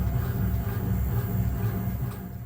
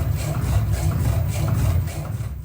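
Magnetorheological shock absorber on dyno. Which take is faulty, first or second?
second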